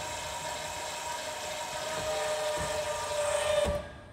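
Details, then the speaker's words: Lippert Ground Control auto-level on a 2017 Windjammer 3029W travel trailer grounding the front jack; steady electric motor hum with faint whine runs a few seconds then cuts off cleanly as it applies pressure, normal operation. "And you can hear the motor, and it stopped. And it's putting a little bit more pressure."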